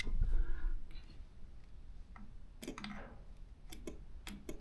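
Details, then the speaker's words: BMW K100 Café Racer motorcycle, off the road 6+ months: starter jumped directly from a second, trickle-charged battery gives only a few sharp spaced clicks with no cranking; battery ruled out, owner suspects the starter motor is dead. "okay same story I hear a clicking noise only so it's not the battery cuz that's the second battery and that's the battery that's been on the trickle charge so looks like the starter motor is dead"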